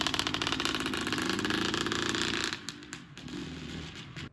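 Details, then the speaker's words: Honda CR125 two-stroke after a cylinder replate, new Wiseco piston and new head: sharp, rapid, slightly uneven popping exhaust at about three to four beats a second. The odd note's cause is unclear; a big end bearing is suspected. Unusual running noise. "so the bike ran still not sure about the sound that's making it sounds a little different than the go-kart"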